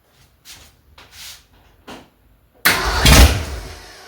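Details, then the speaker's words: 1965 Ford Mustang, freshly rebuilt 289 V8 first start: a few weak cranking puffs, then it catches with a loud roar that quickly sags away; fuel now arriving, owner thinks it needs more ignition timing. "Well, it's going to want to run. It wants to run. [Music] Oh, it wants to run. We got fuel now. Need to add a little more timing."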